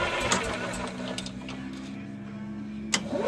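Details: EZGO golf cart, throttle staying open on the lightest pedal: engine catches and sputters with irregular pops as soon as the solenoid engages, carburetor leaking fuel into the intake.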